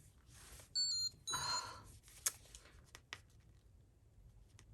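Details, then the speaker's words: Insulin pump giving a couple of short high-pitched beeps in quick pairs over a quiet room with rustling, alerting that it wants calibrating. "oh that's my insulin pump if you can hear it beeping hang on i'll have to put this marker down"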